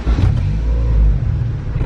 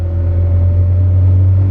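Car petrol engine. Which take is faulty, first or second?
first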